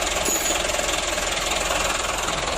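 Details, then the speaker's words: Mitsubishi Canter diesel truck after fuel load, governor and idle adjustment, now starting easily; even steady clatter at idle with no misses or stumbles; normal idle. "Coba lihat mas kita lihat hidupnya gimana yo hidupnya sudah mudah Ya udah berarti"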